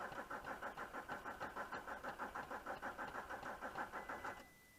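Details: VW Touareg 2.5 R5 TDI 174bhp 4Motion manual, 400,000 km, cold start with bad injectors, worsening: labored, uneven cranking about three chugs per second with smoke before dying to a faint tone.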